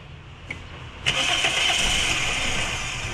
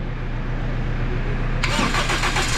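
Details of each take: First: Toyota Altis with severe vibration and misfire, ignition coils new, injector checked, number-one spark plug found wet, engine not overheated: it catches and settles into an uneven, lumpy, stumbling idle. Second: Toyota Altis, earlier vibrating and misfiring with lost compression on cylinder 1 from a cracked engine valve; after valve repair and setting it catches cleanly and settles into a quiet, steady, even idle with no shake, miss or knock.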